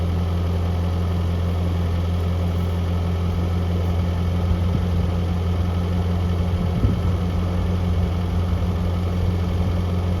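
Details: 1982 Toyota SR5 4x4 truck after replacing emissions control computer box thought to have caused crank-then-cut-off; steady even low idle hum, no stumbles or dips; normal idle.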